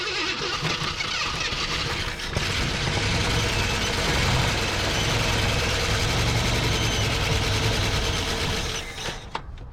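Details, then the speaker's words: 1974 AMC Hornet abandoned 31 years, running on old gas: it catches and settles into a fast light clatter over the idle. Dry valvetrain noise because no oil has run through it in a long while; expected to improve as oil circulates. "Uh, as you can hear by all the valve train noise, she ain't had oil ran through her in a good while. Obviously, the more we get that to run, the more that in theory should pick up more oil and uh it should just start running better."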